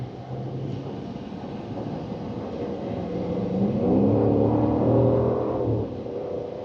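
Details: 2024 Dodge Durango Hemi V8, about 12,900 miles, after AMSOIL synthetic oil change: smooth V8 rumble building evenly with revs then easing off, no knocks, ticks or whine; owner says it's quieter; healthy.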